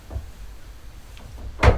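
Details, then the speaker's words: Antique printing press turned by hand: quiet turning, then one solid clunk as the press is engaged and prints a sheet of paper; a normal working impression. "i'll actually put one of these uh pieces of paper in there and engage it and you'll hear it go clunk"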